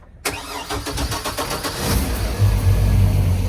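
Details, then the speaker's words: 2020 Tahoe 700 boat, MerCruiser 4.5L 250 hp with Alpha One drive, 156 hours: fuel pump and beep, brief fast cranking, catches at once into steady, even idle with deep exhaust note; normal cold start. "You can hear the fuel pump start, you can hear the little beep, and then we'll go ahead and crank."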